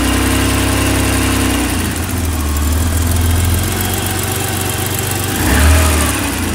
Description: Just adjusted the valves on my 1986 325e M20 engine and took this video for the forums to see whether this ticking noise is normal.